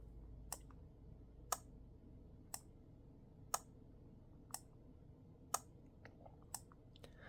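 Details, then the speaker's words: Arduino-built wind regulation controller for a pendulum master clock, in night mode with slave clocks shut off: four crisp relay clicks about once a second with fainter ticks between, no voltmeter beep; relay switching normally. "so you can hear those are four clicks without the beep from the voltmeter"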